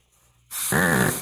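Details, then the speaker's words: 1969 Ford Mustang C4 automatic transmission being air-tested out of the car: a sharp air blast with a short buzzing warble from the governor shows the governor is working fine. "you hear that that mean that means the governor is working fine"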